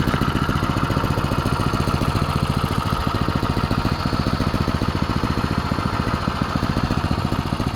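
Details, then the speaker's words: Go-kart single-cylinder engine started on choke. It putts along at a steady, even idle with a quick regular beat and no misses or knocks: normal idle. "yeah right raining running run pretty"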